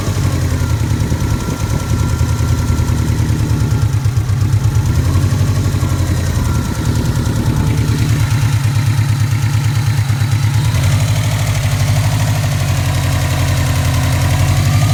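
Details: Subaru Impreza classic flat-four, warm idle after a recent bottom-end rebuild (heads untouched): fast steady ticking over a lumpy boxer burble; owner suspects noisy shimmed buckets or rod knock, unconfirmed.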